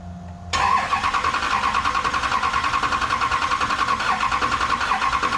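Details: GM LMM Duramax diesel truck, first start after engine replacement: catches after a brief crank and settles into steady, even diesel clatter at idle with no knocks or misses; sounds healthy.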